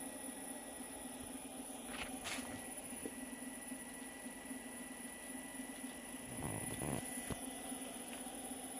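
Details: Electric motor after bearing replacement: steady low hum with a faint constant high tone, no grinding or rumble, just a few handling knocks; runs smooth.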